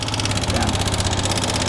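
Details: Yamaha Fazer 250 motorcycle at idle: quick, light ticking in time with idle on top of the engine, grew louder over time; mechanic first suspected cam chain.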